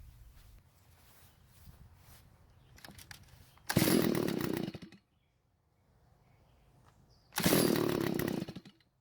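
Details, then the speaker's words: Garage-sale Stihl two-stroke trimmer, primer bulb finally filled: starts and idles but dies when the trigger is squeezed, two short buzzing bursts collapsing within a second; owner suspects lean carburetor, possibly a clogged spark arrestor screen. "So it starts and idles, however it dies when you squeeze the trigger, so more than likely the carburetor isn't delivering enough fuel to the engine."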